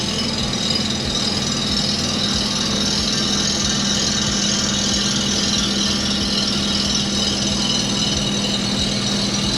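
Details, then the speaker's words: Toro Greensmaster 3250D cylinder mower reel on spin grinder, low traverse speed: steady hissing grind with load shifting and getting heavier along its length, indicating taper in the reel. Reel taper on grinding. "do we hear it change yeah that's that's Tony there was a typer in that yeah"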